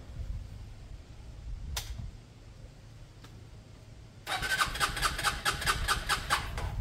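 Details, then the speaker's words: Lexmoto Michigan 125cc motorcycle after an ignition fix, with the fuel tap left off: quiet clicks, then a few seconds of rhythmic starter cranking with no firing. It won't start until the fuel is turned on. "Fuel on, that would help. Fuel on."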